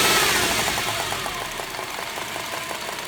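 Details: 2001 Subaru EZ30 engine with 206,000 miles, idling. Sharp, fairly regular ticking knock at about three per second rides over the idle. Owner suspects rod knock, not confirmed.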